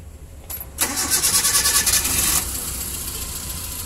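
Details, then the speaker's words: Suzuki Carry Futura carbureted, no-spark non-start fixed with a new timing belt: quick even cranking about eight pulses a second, then fires and settles into a smooth steady idle; ignition now good. "nyala ya untuk pengapian pengapiannya sudah bagus ya"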